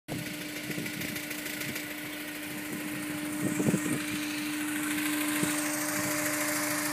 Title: bruit moteur a chaud